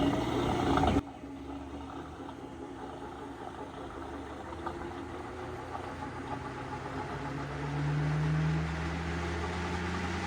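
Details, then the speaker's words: GE washer (not draining) in the inverter test spinning the drum of an overloaded, poorly kept machine with a wobbling drum: low rough hum with a gritty uneven churn and a rising whir. Failing drain pump. "Horrible pump, listen to that sound."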